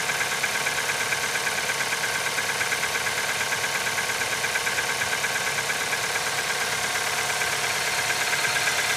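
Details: Nissan QG18DE engine cold start at -15 °C: fast, evenly spaced metallic knocking over the cold idle, steady throughout; cold-start knock, cause not pinned down.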